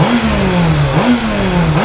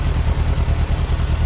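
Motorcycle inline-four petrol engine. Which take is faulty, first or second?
first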